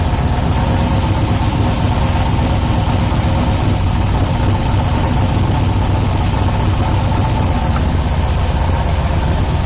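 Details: 1972 Nova drag build, in neutral during transmission test after fluid drain (earlier 2-3 shift locked rear wheels); deep steady rumble at idle, even and unchanging, no clunks; reverse, neutral and trans brake working, normal idle.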